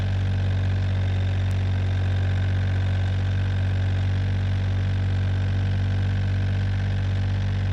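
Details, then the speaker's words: John Deere 1445 with freshly rebuilt Yanmar 3TMV88 three-cylinder diesel, first start: steady even low chug at constant speed, no knocks or misses; running normally. "today I fired it up for the first time it was Smoky for about 20 to 30 minutes but after that it actually cleared up and it doesn't smoke anymore more so that means the engine is running the way it should"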